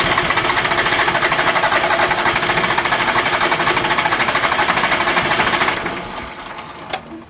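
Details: Small Yanmar diesel with air in the injector lines after a fuel filter change without bleeding, cranked before bleeding the injector lines: even cranking about three compressions a second, never firing; cranks but won't start.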